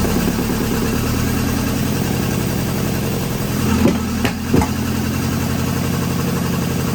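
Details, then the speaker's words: 1983 Volvo 242, manual, B23 engine, revived from the woods, converted from EFI to carburettors, 12 V confirmed at coil: loping, uneven idle with pops; owner thinks it has no timing, doubts lean backfire with fuel in throat. "Seems like it has no timing. Try it again. Try it again. And it could just be, I have a hard time believing it's lean backfiring when it's got fuel coming out of the throat."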